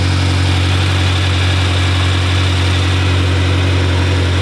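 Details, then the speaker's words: 2018 BMW M6 rebuild with front-end damage, first start, with side-dump exhaust: deep, loud, steady idle with an even beat and no ticks or stumbles; healthy running, loud from the open exhaust, normal idle. "because you hear what it sounds like here it sounded cuz we got a side dump exhaust wow dude that sounds beautiful"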